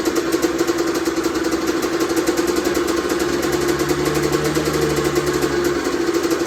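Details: Honda CR125R two-stroke, first start after full teardown and top-end rebuild over winter: crisp, even idle with a clean blip of revs, firing steady with no knock or rattle; normal running, healthy.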